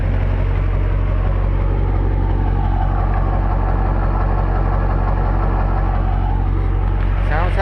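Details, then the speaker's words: 19-year-old LB7 Duramax diesel pickup at 400,276 miles, still cold: steady even idle with deep regular exhaust pulse, no knocks or misses, good oil pressure; sounds healthy. "healthy, don't it? This truck has been arguably the most reliable vehicle I've ever owned in 10 years of vehicle ownership."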